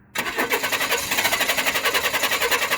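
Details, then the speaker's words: 1995 Chevy Blazer 4.3L CPI with 4L60 transmission, recent spider injector replacement, relative compression check in clear-flood crank with all plugs in: starter spins steadily with evenly matched pulses. One cylinder draws slightly lower amperage, but compression is even. "So now if you look, all these cylinders, they're pretty even. I mean, there's one that's a little bit lower on amperage, but not a lot."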